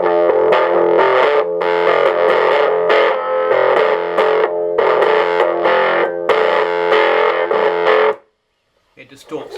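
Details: 1960s Selmer Little Giant valve amp (EL84 class A, ECC83-type preamp, EZ81 rectifier, about 1.5 W clean): guitar chords break up hard at any playing level, thick even fuzz with no crackle or hum; normal overdrive.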